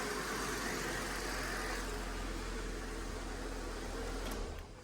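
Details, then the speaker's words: Holden WH Statesman Series 2 L67 V6 with M90 supercharger, after repairing supercharger rattle from a faulty coupling and refilling the oil: a steady, even idle with a quick rev and no rattle or chatter; normal idle. "Moment of Truth to see if it's fixed well it already sounds better"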